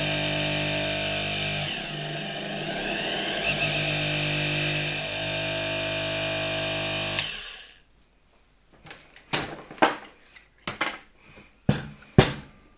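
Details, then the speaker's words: 1970s Soviet Czajka 3 vacuum cleaner motor after replacing both bearings (16100 and 627), run at reduced voltage via regulator: high whir wavers and never settles, then winds down; runs uneven, damaged rotor winding suspected, not confirmed. "silnik zdecydowanie nierówno chodzi Mam wrażenie że jednak jest to kwestia gdzieś tutaj jakiegoś prawdopodobnie uszkodzonego uzwojenia w wirniku"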